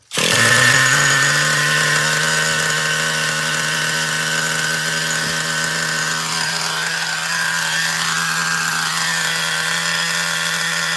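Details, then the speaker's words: Traxxas Revo 3.3 nitro after straightening a badly bent exhaust that had starved it of fuel: a strong, steady high-pitched buzz with no stumbling. The engine now runs clean and healthy. "Yep, that'll do. It sounds good now. So, could you believe that? That was the problem. Fubard exhaust."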